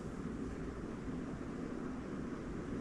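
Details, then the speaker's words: Newly installed Casablanca 4 Seasons 84U9D 52-inch ceiling fan on high: soft, even rush of air, very quiet motor, no wobble, solid airflow, no rattle; running healthy. "So you can hear the air noise, but it's very, very quiet. The motor, quiet. And the airflow is solid."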